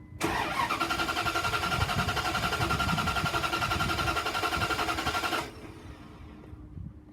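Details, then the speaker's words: 2002 Dodge Ram 3500, 5.9 L V8 gas, 148,000 miles, sprayed with starting fluid, fuel pump heard priming: steady cranking about four turns a second, no firing; suspected no spark; crank no start. "It's turning over, not starting. I sprayed it with starting fluid and it still makes no effort to start."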